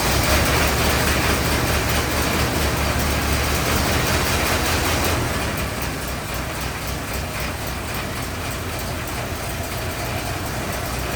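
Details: 1927 Ford TT, first run since purchase, new buzz coils, up on jacks, throttle up a bit: four-cylinder runs with a fast, even chuff and a light buzz on top, settles a little and keeps running cleanly.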